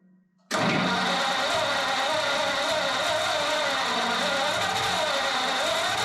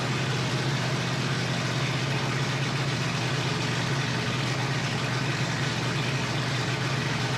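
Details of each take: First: Ford flathead 8BA V8 from an F1 pickup, converted to 12V with new points, condenser, cap, rotor and coils, on its first start: steady cranking whir that never catches. Fuel starvation is suspected, so the next step is running a fuel line from the fuel pump to a gas tank. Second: Flathead Ford 8BA V8 from an F1 pickup, 12V conversion, new points, condenser and coils, unrebuilt carburetor bowl just primed, first start: a steady, even low rumble with no knocks or misses, normal running.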